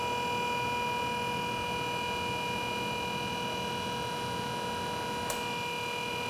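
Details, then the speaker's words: BG PF5-HO power flush and transmission fluid exchange machine during a roughly six-minute service: even steady whine at constant pitch, no surging or grinding; the machine's pump running normally. "one thing you're going to notice is we can hear the pump running on the on the machine"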